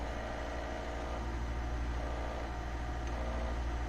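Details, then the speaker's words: Citroën BX at idle: a low, buzzing throb that swells and fades, changing when the foot is taken from under the partly held clutch pedal; vibration through the pedal; not confirmed. "i'm currently holding the clutch pedal a little bit if i remove my feet from under it hear the difference"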